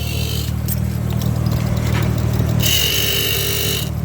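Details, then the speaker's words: 1995 Nissan 300ZX with low oil pressure, fully warm at idle: an added Arduino-controlled electric oil pump on a 12-to-5 V converter switches on with a steady high whine; no rattle or clank, pressure held at 30–45 PSI. "Here's my cigarette lighter power supply that I turned into a 12 to 5 volt converter. You can hear the pump kicking in."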